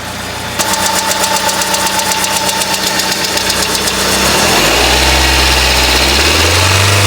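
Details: Hyundai Accent gasoline engine, 127,000 km, recent oil change, timing belt likely due: at cold idle a sharp, even diesel-like clatter about four times a second that goes away once warmed up; source unknown.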